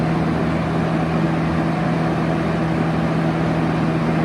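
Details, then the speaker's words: 1971 Kel-Aire model 7000 3-speed 20-inch box fan on high: steady even rush of air with a low hum underneath and no ticking or rubbing; pleasant sound, running smoothly and already blowing things around the room. "And also the sound it produces is quite pleasant to the ears. It's actually blowing stuff around the room already."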